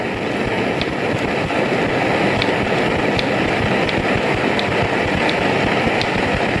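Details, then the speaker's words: BRS-8 multi-fuel stove, well preheated, bottle flipped: loud steady roar with faint regular ticks as the burner keeps spitting liquid fuel. "And even with all that, it was pretty preheated. and we're still getting all of this spitting of liquid fuel. I'm going to put some air in, we'll probably get some more spitting."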